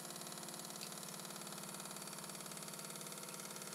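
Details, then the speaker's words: Old Mamod TE1A oscillating-cylinder toy steam traction engine running on low boiler pressure, fast regular knock about three a second; badly bent crankshaft bracket leaves crankshaft out of line with cylinder, flywheel has side play. "u can hear, it's knocking a bit, but this is hardly surprising. The bracket that supports the crankshaft is very badly bent, so the crankshaft isn't even in line with the cylinder."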